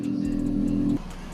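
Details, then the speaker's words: Yamaha Vega Force (2003) with owner-reported hard starting, easy once running: about a second of brisk, even cranking that stops without catching. Low compression from a leaking exhaust valve. "ini kendala kerusakannya kata si pemilik motor susah hidup Apabila sudah hidup Ya sudah gampang saja untuk dihidupkan"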